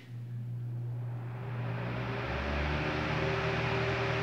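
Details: 40 cm oscillating fan that wouldn't start on its own, fixed by replacing the 2.5 µF 400 V run capacitor (bushings and rewound stator already done), on 220 V at speeds 3-2-1: smooth even hum with airy rush and no rattle, running healthy.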